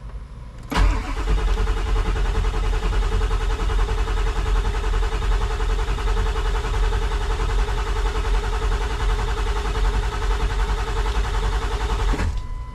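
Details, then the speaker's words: Ford 7.3 diesel with HPOP no-start, cranked after glow plugs heat, after opening system to reach the IPR valve: cranks steadily about eighty turns a minute for over ten seconds, never catches; air possibly still in line, likely low injection pressure. "so we're going to let them glow plugs Heat and we're probably gonna have to crank on this for a little bit because uh again we opened it up to get the IPR"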